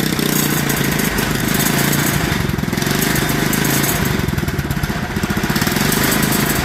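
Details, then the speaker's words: Clone GX200 196cc single-cylinder mini bike engine, after cleaning the cylinder, new spark plug, retorqued head bolts and a checked carburetor float: runs loud, uneven, lumpy and surging; still bad, owner suspects a bad head with poor valve seats. "nope still bad"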